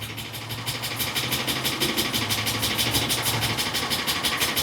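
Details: 2013 Ford E450 with the 6.8 V10, misfire codes on cylinders 1, 6 and 10, diagnosed with a scope and intake pulse sensor. Uneven loping idle pulsing about three times a second with missing beats: misfire traced to a faulty intake valve.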